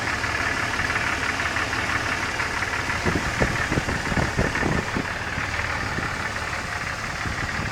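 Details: Rough engine idle with a cluster of sharp, uneven knocks for a few seconds before settling; unexplained knocking noise, source unknown.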